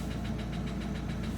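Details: Opel Astra H Z17DTH diesel, Bosch fuel system, after another shop's overhaul and injector replacement: deep regular knocking six to seven per second through idle, internal engine knock.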